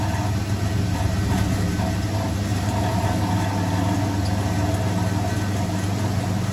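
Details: Hotpoint 1012 spin dryer (centrifuge) tested with wringing-wet laundry loaded: steady low hum at constant speed, no rubbing, knocking or wobble; drum spins smoothly, normal spin cycle.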